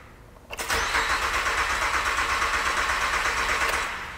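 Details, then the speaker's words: 2008 Acura TL, J32 Honda V6, died on highway; after a broken timing belt repair and new aftermarket crank sensor, starter churns evenly about three seconds, almost catches, never fires; no RPM reading, owner suspects crank sensor wiring damaged when belt broke. "acted like it wanted to and then it stopped and it's still not it's not reading an rpm"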